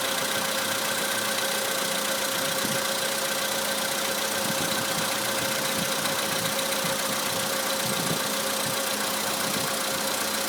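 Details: 2013 VW Polo Sedan idling: a faint, regular ticking knock at about 2.5 per second under a thin, hissy idle, most noticeable when cold; owner suspects an engine knock, cause unconfirmed.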